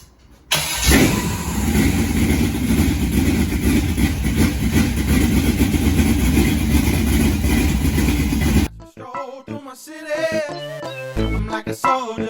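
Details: First start of a 6.0 LQ4 V8 on an engine stand with 706 heads, Stage 3 Summit truck cam, LS6 springs, shorty headers and dual single-chamber mufflers: it catches at once into a loud, lumpy, choppy cammed idle that sounds healthy.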